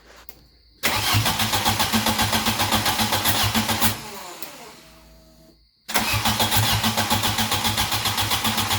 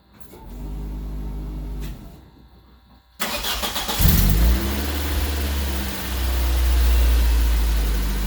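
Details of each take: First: Cranking with no start: the starter spins the engine evenly, about four beats a second, but it never fires and the RPM gauge does not move. Owner suspects the crank position sensor is unplugged or its wiring is damaged. Crank no start, faulty crankshaft position sensor. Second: Golden Quack car with a newly installed replacement engine (the old one had unresolved overheating), no transmission fluid, shift cable needing replacement: a brief crank, a pause, then it catches cleanly into a smooth, even run with light revving as it moves, a normal start.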